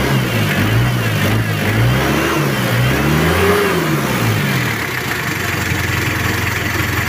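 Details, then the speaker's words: Chevrolet K5 Blazer with swapped Mitsubishi 4D56T (L200) turbo diesel, poorly set up, low power, limping, white smoke: revs climb lazily, rough and uneven, fall to lumpy idle. Worn injection pump rotor head. "untuk gas-gasnya itu lemot banget suaranya juga kurang enak"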